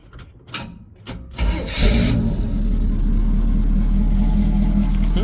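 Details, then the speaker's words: 1965 Chevy C-10 with a Powerglide transmission, long sitting: a few starter clicks, then it fires right up and settles into a steady, even, smooth idle with no misses. A clean, healthy start. "Fires right up. Idle's really good. Really smooth."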